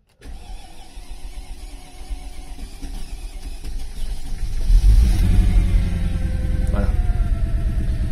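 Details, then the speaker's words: Barn-find Mercedes AMG, long stored, first start attempt: starter cranks about four beats a second with lopsided, uneven rhythm, some strokes much lighter, indicating a major lack of compression. "alors pour ceux qui n'ont pas compris à l'oreille euh il y a un gros manque de compression VO cette voiture elle a un gros manque de compression déjà"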